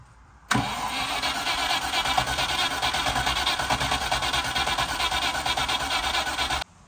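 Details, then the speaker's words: 3.5-litre V8 Range Rover Classic standing 21 years, start attempt on jump batteries: engine spins on starter and fires briefly but never settles into idle; fuel pump not engaging, no fuel delivery, petrol presence uncertain. "So, we've um obviously got it firing. It would run if the fuel pump was um engaging."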